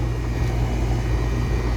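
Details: Residential central AC condenser after a Supco SP6 hard start kit fixed the abnormal compressor startup: deep, steady compressor hum with no rattle or hard-start strain; running smoothly.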